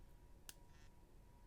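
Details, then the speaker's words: iPhone 6s Plus, never updated: pressing a button sets off its taptic engine (vibration motor), which has worked loose, giving a sharp click then a brief buzzy rattle; pressure or holding it upside down quiets it. A common fault on older 6s models. "oh you actually can this one's actually a bit loose but I bet if I apply pressure down here no maybe down here oh there if I hold it upside down and click it then you really can't hear the vibration"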